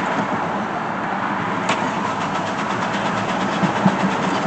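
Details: Chevy Blazer ZR2 that left owner stranded a year ago; spark present but no fuel reaching engine, fuel splashing in tank, fuel pump bypassed without fuel. Starter spins engine evenly for seconds without catching: crank no start; owner suspects cheap fuel pump.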